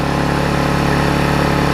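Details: Vulcan 18" mower's 3.8 horsepower two-stroke, revived with a new intake pipe and a freed rusted flywheel/magneto, gives a smooth, buzzy beat at steady speed with no misses or stumbles; running well.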